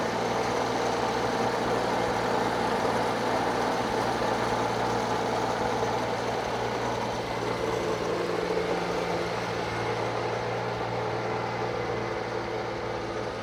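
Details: Circa-1952 Austin 6-cylinder petrol truck just revived after about 20 years standing: low even idle with steady rhythm, no ticking or misfire; normal idle, owner unsure of a slight miss, hears no burnt valve, found a lead pulled from the distributor cap.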